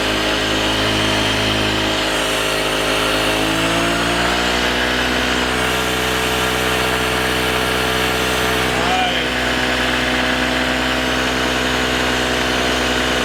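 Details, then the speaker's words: Metropolitan CVT scooter just running for the first time, sticking throttle cable, idle being adjusted: small single buzzing at high idle, pitch hunting unevenly; rough idle, owner suspects low oil despite an oil change. "it does kind of run a little hard a little rough which means it might not have enough oil in it right now"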